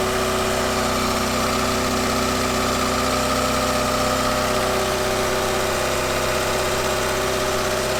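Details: Ford Fiesta MK2 XR2 after new hydraulic lifters and valve stem oil seals: even, steady idle with smooth quick pulse, previous rattling tapping noise gone; normal idle.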